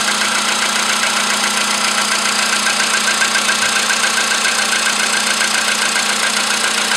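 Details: VW Polo sedan with CFN engine, cold start in the morning after a night at about 10°C outside: steady, sharp metallic ticking, about two and a half per second, over the cold idle; clear internal engine knock.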